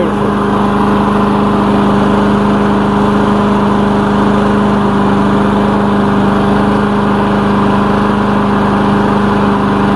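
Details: Lawn mower engine's final run after repair with new air filter fitted, before return to owner; steady even low drone, no misses or surging; running great, normal idle.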